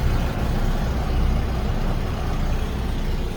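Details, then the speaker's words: Class C RV generator after fixing a power wire wrongly connected to the negative battery post: deep, steady drone with no knocks or surges, powering the microwave and air conditioner and charging all batteries; normal running. "But after we did all that, trace the wires, everything, come around, and I don't know if you can hear it or not, but the old gen cranks up."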